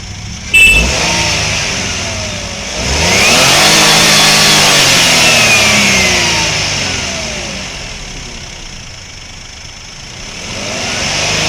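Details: Suzuki Wagon R engine revs up and falls back to idle under a strong steady high hiss that does not follow engine speed; unusual engine noise, cause unclear.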